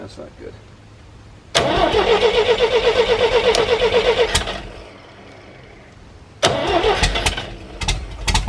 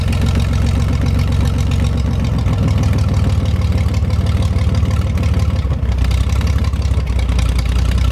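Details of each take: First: 1973 GMC 432 cubic inch V6, out of a truck, sitting unstarted almost 5 years, trouble pulling fuel: steady cranking about four turns a second without firing, then next try catches ragged and runs. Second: 1973 GMC 432ci V6 engine, out of a parted-out truck and sitting unstarted since early 2019 (almost five years), run after light prep: deep, steady V6 idle with a light throttle blip, even firing, no knocks or rattles; normal idle, healthy engine.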